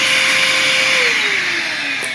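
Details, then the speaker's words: Bissell Powerforce Compact upright vacuum before restoration: a thin, high motor whine that sags slightly, with no rush of air. The airflow is badly clogged, so the motor over-revs. "so we are very clogged and if you have these machines or no these machines then you can probably hear the the motor spinning up a little too high"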